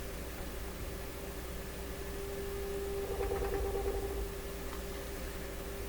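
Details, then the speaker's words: Stewart Warner R146 tube radio during IF alignment: steady hum with putt-putt pulsing about three beats a second that swells briefly; motorboating oscillation, revealing another defect, cause unknown. "well this is revealing another problem in the radio i think i get motorboating like"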